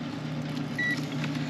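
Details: Mitsubishi ductless mini split heat pump not heating, checking fuses off the main lines at the terminal block: one short, clean high meter beep over a low steady hum shows continuity; fuse is good.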